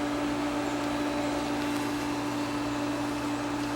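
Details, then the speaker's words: Aqua Comfort pool heat pump that will not heat water runs with a loud, steady drone and one strong fixed hum, no rhythm, likened to a Mack truck; had run through two days of rain; fan motor suspected, cause unclear. "this noise you said it sounds like a Mack truck so we'll see might be interesting"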